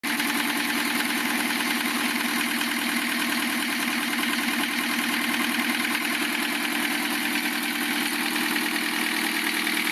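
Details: Lancia Thema 2.5 TD diesel after overhaul, idling: steady rhythmic knock near the head over the diesel clatter; cutting injectors 2 and 3 reduces it only slightly; timing marks correct, oil pressure 2 cold, 1.5 warm; owner suspects piston hitting liner or valve, later piston.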